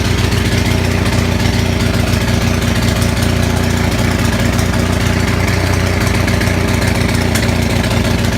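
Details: Onan 6500 (6.5 kW) commercial gas generator running with a horrible misfire, uneven stumbling beat with popping, jumping and shaking, muffler missing; spark present throughout, cause found as a severely fouled spark plug.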